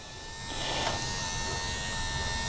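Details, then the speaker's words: Toyota Land Cruiser 80 Series left-hand rear door electric window, run from the switch with ignition on after the regulator was repaired on the bench. Even motor whir for about two seconds, then a clean stop at end of travel. Normal power window operation. "So let's see. Oh, yes! Oops, nearly caught with microphone wire. Look at that."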